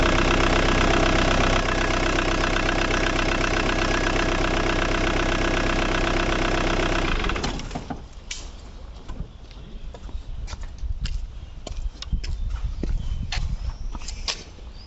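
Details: Ford Mondeo MK3 after replacing a burned fuse that caused a no-start, no-crank fault: steady, even idle with a regular beat for about seven seconds, then the engine cuts off; runs normally.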